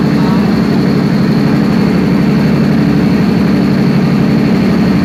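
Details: Perkins 4012 diesel after general overhaul, pre-lubricated before start, during load testing; loud even drone with a steady low beat of about four per second under load, running clean.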